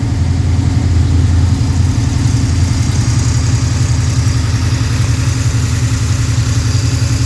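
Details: Freshly built Pontiac 428 V8, probably a 1969, tri-power, D-port heads, 9.5:1 forged pistons, hydraulic roller lifters: smooth even high idle while gaining temperature, deep rumble, no knocks or misses; normal fast idle.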